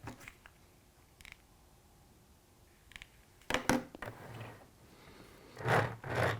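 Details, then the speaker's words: Old Lima Siphon G wagon on Code 75 track with old coarse wheels: quiet, then uneven scraping, grating bursts as it is pushed along, sounding almost derailed; coarse wheels grinding on track. "You can never be sure it's actually on the track because it always sounds like it's derailed, and this is an old Siphon G."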